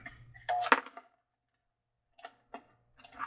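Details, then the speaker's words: Mr. Christmas Cupola Carillon decoration makes irregular rough clacks and grinding bursts as its binding mechanism cannot turn; the drive belt was also seen slipping under load. "But, regardless of the sound, since it does apparently work, it's just making a horrible sound because it can't turn."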